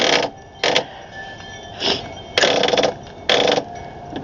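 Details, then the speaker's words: 2008 Craftsman YS4500 lawn tractor, battery on charger reading 14.3-15.1 V: several short mechanical whirrs and clatters, each cut off in a fraction of a second, engine never turns over; starter suspected of not engaging properly. "I'm wondering if this starter is [snorts] not engaging properly."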